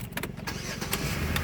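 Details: Rebuilt auction car, 151,000 miles: engine catches and settles into a steady, even idle with a low hum, no knocks or misfires; check engine light on from a smashed, broken O2 sensor wire.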